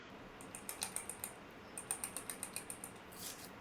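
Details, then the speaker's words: 1940s Bovet chronograph, Landeron 51 movement, chronograph not working, heavily worn chrome-plated case; shaking the watch gives two bursts of light clicky ticking, movement totally loose in the case, cause not yet found. "yeah if you hear that when you shake a watch it's not good that movement is totally loose"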